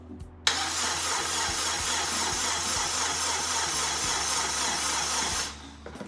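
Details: Honda Integra DC2, first crank since 2017: strong steady starter whirr with even compression beats for five seconds, turning freely without firing; cranking healthy, objective of getting oil around complete.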